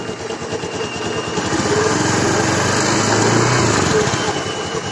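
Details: Honda Scoopy FI scooter running with a steady buzz and even drive whir, no knocking or scraping, after removing a stick of wood lodged at the wheel that caused a strange CVT-like noise on throttle release.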